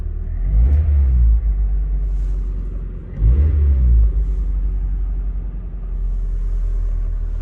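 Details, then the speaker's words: Low-km (54,000 km), basically stock 1999 Nissan Silvia S15 Spec-R idling: deep, steady low rumble with a couple of gentle swells and no ticks or knocks; a clean, healthy idle. "Engine running. Inside, there's no gas. 54,000 kilometers, idling."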